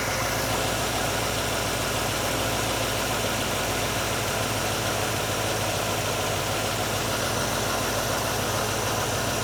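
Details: GMC truck V8 with an Edelbrock VRS-4150 650 CFM carburetor replacing the 950, idle mixture and speed set: steady idle with even, loping pulses, no misses or stumbles; settled idle.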